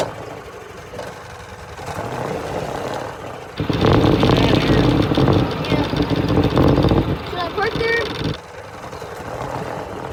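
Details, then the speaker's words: Gas golf cart after replacing blown exhaust gasket: key-start, engine chugs into a steady even run, much quieter, no knocking or hissing; sounds perfect. "finally we get start it and see how it sounds key on start so much Qui sounds perfect"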